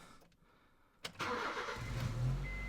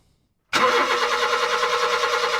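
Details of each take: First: 2005 Honda Jazz with P0339 intermittent crank sensor code: with the crankshaft sensor reconnected after a no-start test, a brief crank catches into a steady idle. Normal start, proving the crank sensor gives an input; sensor to be replaced. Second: 2005 Honda Jazz cranking after the crankshaft sensor plug was disconnected and reconnected. The starter spins evenly but the engine won't catch, with fault code 04-05 (P0339) for an intermittent crankshaft position sensor circuit. It starts on a later attempt.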